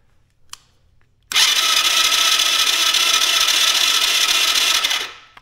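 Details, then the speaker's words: Tao Tao Chinese ATV with no spark, battery fully charged, CDI feed reading 36 V AC while cranking: steady high whirring crank for about four seconds with no firing, then stops; owner wonders if the starter cranks too slowly. "is our starter tired and it's not cranking it fast enough our battery is fully is charged [Music] yeah we still don't have spark"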